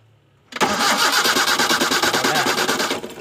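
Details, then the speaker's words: Toyota Kijang no-start, spark reaching the plugs: the starter spins the engine with a steady chugging rhythm for a few seconds but it never catches; cranking no-start, fuel delivery being checked next. "Sudah Harusnya bisa hidup sepertinya tapi kenyataannya ini belum bisa hidup"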